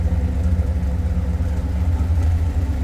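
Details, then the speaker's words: Rebuilt 1968 426 Hemi V8 on dyno after dropped-valve failure, hydraulic roller cam, pump gas, idling with 22 lb oil pressure: deep, steady, even lope with no knocks or ticks; normal idle. "now let me lift to the lockers so far so good sounds good to to me that's what I wanted"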